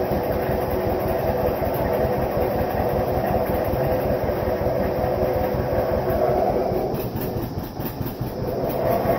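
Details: Vintage John Deere 720 two-cylinder diesel tractor after head gasket repair: loose, loping chuff at roughly two to three beats a second, uneven pulse of the twin running without trouble.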